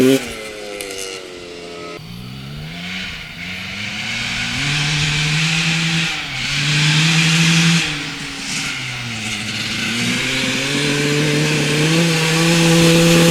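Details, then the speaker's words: 1995 Honda CR250 two-stroke with the old flywheel reinstalled: revs climb, then sag and stumble on each throttle blip before picking up. The bogging returns, so the faulty old flywheel is confirmed as the cause. "I cannot believe that it was a flywheel all along that is absolutely insane"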